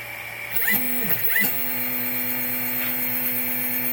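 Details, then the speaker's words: Replikeo Prusa i3 3D printer Z-axis steppers, jogged manually via the LCD controller with no load: steady electrical hum, faint whine and early clunks. The spindles want to turn but don't; the motors buzz while stalled. They are not hot. Marlin firmware is Replikeo's setup, uncalibrated. The owner suspects software sending both direction instructions. "The spindles are not turning. They want to turn, but they're not turning."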